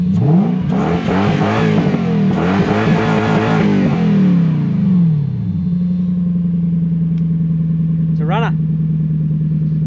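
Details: Lexus LS430 V8 test car with an open, cut-off exhaust, running a reflashed, immobilizer-deleted ECU with improved throttle, timing and fuelling maps: the engine blips up and down for a few seconds, then settles into a loud, steady idle.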